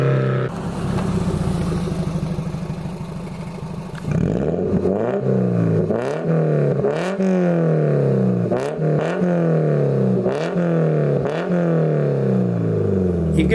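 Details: Toyota MR2 Mk3 ZZW30 with 1ZZ engine, repaired after rod bearing failure, on a homemade TIG-welded stainless exhaust with switchable silencer valve: repeated clean rev blips climbing and dropping smoothly, steady note, no knocking or clatter; healthy.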